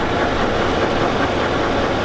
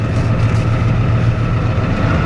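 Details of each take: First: Chevy Avalanche pickup at idle: a loud, dense idle with a rapid knocking clatter steady throughout, an engine knock with the source not yet found. The owner says it is not the flexplate; the truck also has transfer case problems. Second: seems to run pretty good though sounds like a healthy trucking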